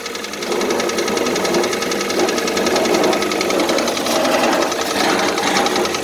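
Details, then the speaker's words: 2014 Kia Cerato 2.0 petrol, about 143,000 km, cold start at idle: rapid, sharp metallic piston knock for about 1,000 km; diagnostics found scoring in cylinders 2 and 3, and the owner first suspected hydraulic lifters. "сказали задиры второй третий цилиндр стук примерно уже около тысячи километров вот завожу на холодную"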